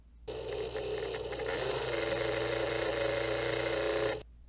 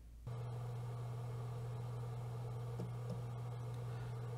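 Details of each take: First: G-Technology 12TB G-Raid external hard drive, small rear cooling fan before replacement with a Noctua NF-A4x10, lavalier mic: harsh buzzing rattle with a wavering mid-pitched drone; worn cooling fan bearing. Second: G-Technology 12TB G-Raid external drive after replacing its noisy rear fan with a Noctua NF-A4x10, lavalier mic in front of the fan: faint, smooth, steady low hum, no rattle, tick or buzz; normal fan running.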